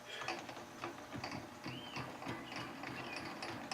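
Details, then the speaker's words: Lathe cross slide feeding: dry ratcheting click repeating about twice a second, felt in the handwheel, traced to a loose cross slide lead screw nut needing adjustment. "what the heck is that noise i don't believe i've ever heard that noise come out of this lathe before nothing feels loose huh i can definitely feel it in the wheel"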